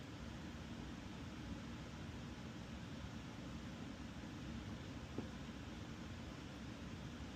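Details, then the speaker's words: Breville Barista Express BES870XL, newly installed water pump tested with tank filled to check water flows from tank through pump to boiler and group head: steady low buzz with no surging or rattling; pump pushing water normally. "Okay, water in, and now I'm gonna turn it on and make sure the water is going all the way from the tank through the pump, to the boiler, and to here."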